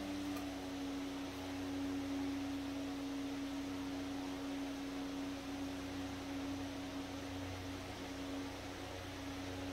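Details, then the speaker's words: Century S-3 Model 15 skeletal frame desk fan, over 100 years old and restored after many issues, switched from high (speed 1, likely about 110 volts) down to speed 2; smooth constant motor hum, soft airflow, no ticking, rubbing or wobble; normal running. "So that's high, or 1. Now we're going to go to 2."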